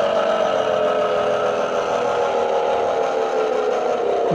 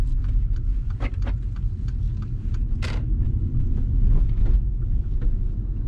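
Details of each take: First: Mercedes B-Class Electric Drive (Tesla-sourced drivetrain), on-road recording: a steady mid-pitched hum rides over the road noise and drops in pitch as the car slows, pointing to worn reduction gearbox bearings, compared against a same-mileage car that is silent. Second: Mercedes-Benz Electric Drive (Tesla-built motor), about 96,000 km, test drive after motor repair; only road and tyre rumble, no whine or grinding from the drive unit: normal quiet electric drive.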